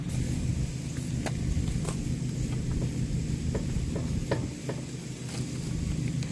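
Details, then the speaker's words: Acura RSX raised off the ground with the wheel rocked by hand: irregular light clunks over a low rumble from a badly worn ball joint that visibly moves; both ball joints are bad. "oing that motion, which we normally do to check for a wheel bearing, but it's so bad I'm getting clunking from it over there doing that motion as well. But I know it's the ball joint because I can see the thing freaking moving."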